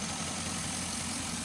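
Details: 2005 Chevy Envoy, about 178,000–179,000 miles, with oil leaks underneath, idling after the serpentine belt and pulleys were replaced over an earlier pulley noise: steady, even idle with a smooth low hum, no ticks, squeals or belt chirps; healthy.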